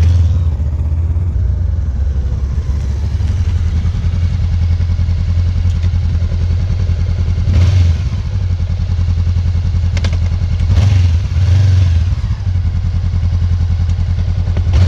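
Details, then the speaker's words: Honda CB500X motorcycle at idle: even idle throb, then single solid clunks as first gear engages from neutral, typical loud engagement noise for this gearbox; normal gear engagement clunk, not a fault. "vou mostrar pra vocês um barulho que ela faz quando alan engata machucar você vê que na sua vai ter o barulho é exatamente igual"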